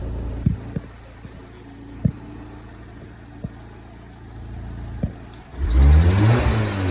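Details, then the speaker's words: Car engine with irregular light taps at idle, then a rev that turns loud and rough; the noise grows the harder it is revved, and the owner suspects valve tapping. "vou tentar mostrar para vocês quando acelera e quanto mais acelera mais barulho faz é o barulho certinho de de válvula cara parece que tá batendo válvula"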